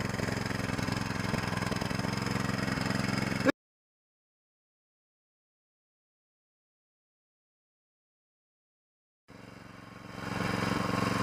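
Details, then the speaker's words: Small single-cylinder mud motor (SPS Longtail) in break-in on 10W30 oil, run at varied moderate RPM, never max throttle. Even steady beat at moderate speed with no knocks or rattles; new engine running smoothly. "all right that is about done all I'm going to do for the brakin let it run for 3 hours vary the RPM like I was doing never let it run at never put it at Max throttle"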